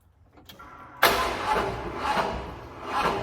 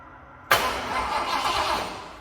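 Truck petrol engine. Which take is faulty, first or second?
first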